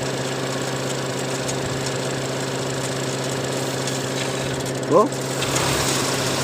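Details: Engine at idle with intake hose pulled during misfire troubleshooting: a steady but uneven idle that sounds close to dying, with air audibly being drawn in; a loose turbo is leaking air, causing the rough idle.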